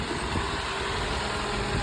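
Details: Toyota no-start fixed by securing a loose ignition wire on the newly installed starter, started with a jump pack: steady, even idle with a low smooth rumble and no knocks or misses; engine runs normally.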